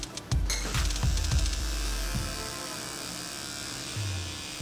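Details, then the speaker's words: Dragonhawk Extreme linear-drive rotary tattoo machine, 3.5mm fixed stroke, running without needle: steady even low buzz, no lag, skip or surging; fairly quiet, though larger rotaries are quieter. "it's pretty quiet I've had other rotary machines you know like big ones like fish spectra all that other stuff and they're generally more quiet than this"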